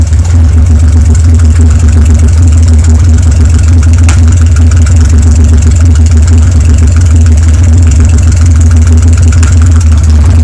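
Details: BMW N52N running with the exhaust off: a loud, lumpy idle, misfire on cylinders 4, 5 and 6, and backfiring into the intake. The exhaust camshaft is broken and the catalytic converter destroyed; the valves seemed OK.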